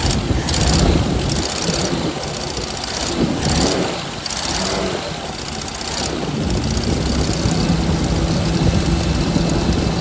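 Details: 1979 Jeep CJ5 after sitting since 2019, now fed fresh gas from a separate tank straight to the mechanical pump: uneven, lumpy running with irregular beat; carburetor leaking fuel and sucking air, rebuild kit needed.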